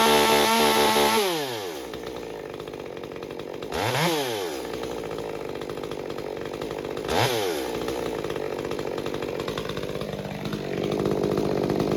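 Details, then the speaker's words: Stihl MS201TC chainsaw after performance work, fresh fuel and new fuel filter, restarted from scratch; fires, revs, settles to steady two-stroke idle with clean throttle blips; normal running, problem likely clogged fuel filter. "So, you know, nothing necessarily wrong with the fuel. I think it was more fuel filter related, that it just had a hard time picking up fuel."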